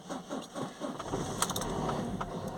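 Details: 2007 Ford Transit Connect 1.8 TDCi with earlier crank-no-start and P0087 low rail pressure, first start after fitting a secondhand injector, glow plugs used: brief cranking, then diesel catches and settles into steady idle; starts normally.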